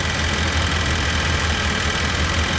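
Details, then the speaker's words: 1988 Chevy Suburban, R134a-converted orifice-tube AC being recharged, engine running: faint fluttering slap over the low hum from a slack AC belt whipping around; belt needs more tension. "i have to tighten up that ac belt keep whipping around a little"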